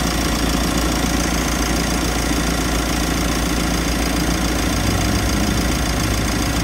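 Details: Mitsubishi L300 FB van at idle with AC on, compressor replaced and leaking oil: loud, rough knocking drone from the AC compressor, strained by high head pressure; condenser undersized and needs replacing or adding.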